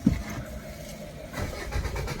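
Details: Maruti Suzuki diesel car (SX4/Swift) won't start after sitting at shop: starter cranks at normal even pace, fuel pump heard, key/immobilizer light flashing, engine never catches; transponder chip immobilizer block.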